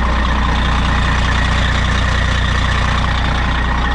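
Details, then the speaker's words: Truck idling to build air pressure, running only on fuel dumped in the filter, owner worried it may die as it did last time; steady low diesel chug about 150 pulses a minute, even, no misses or knocks; normal idle. "so uh yeah it's running what's up"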